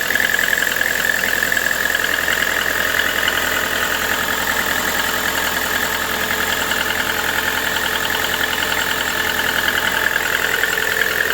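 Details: Lada Vesta NG engine knock: steady idle with a fast, fairly even ticking knock, roughly two or three per second, riding over the engine; internal knock, cause unclear.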